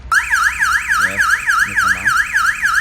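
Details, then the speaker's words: Cardot car alarm with push-button start and immobilizer: engine stopped, alarm armed, then start button pressed again. Loud siren sweeps up and down about three times a second with no engine running; alarm triggered by the start attempt. "But you stop and you stop engine, you will hear beep sound. It is in arm. If now you want to press down again, it will make alarm."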